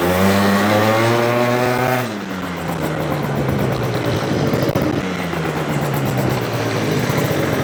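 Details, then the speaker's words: Yamaha BWS 100 two-stroke scooter with Malossi 125cc kit, airbox refitted: buzzy revs climb, drop and climb again but flatten short of the top; responsive, bottom end fine, pulls quick, yet not kicking into the power band. "But it's not kicking into the power band. No. Like I can hear it's not quite getting into it there, but it's pulling quick."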